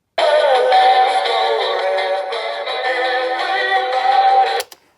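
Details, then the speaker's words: Aiwa CS-P55 radio cassette player after belt change and repair: final test playback of music at steady pitch and speed with no wobble, dropouts or drag, then a clean stop; sounded surprisingly good, tape drive working properly. "Hopefully that's only 3 seconds, but that is it. That sounded alright actually. I'm surprised how good that was."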